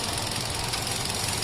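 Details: i20 engine with P0300/P0304 codes: rough, uneven idle with a thumping, stumbling beat from a dead number-four cylinder. Failed ignition coil.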